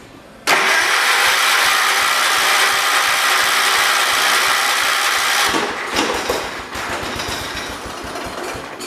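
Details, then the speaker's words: John Deere 212 donor tractor, a leak found before starting: catches on choke with a loud uneven roar, then stumbles and sags after unchoking. Sputtering hard start; owner says something isn't right and pulls it apart. "Oh, she's trying. Let me unchoke it. Now it is unchoked. Okay, something ain't right."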